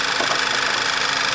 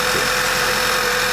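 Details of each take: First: 2011 Volkswagen Passat after replacing failed PCV valve: even, steady idle with smooth hiss, no surging or stumble; sounds like it used to, nice and smooth, fixed. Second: 2011 Passat running poorly, idling: loud steady suck and hiss with a faint whir low down, changing as vacuum builds back; vacuum leak from a failed PCV valve.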